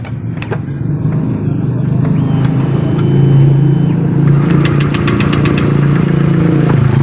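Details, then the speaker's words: Honda Vario 125 scooter with injector swapped back to original; engine idle still hunts with slow rise and fall instead of holding steady; recently serviced, tank cleaned, fuel and spark plug replaced; stalled while riding; delayed throttle response, cause not yet found. "ya masih ngayun-ngayun kedengar kan"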